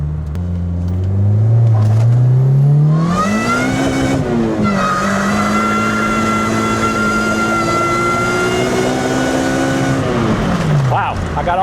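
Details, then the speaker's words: 7th-gen Honda Civic with supercharged K24 swap, after reloading program: revs climb smoothly with steady supercharger whine to redline, no cut-out; owner unsure whether fixed or temperature related, still needs tuning. "That was all the way to rev. It went all the way to redline again. Hmm. Did I magically do something?"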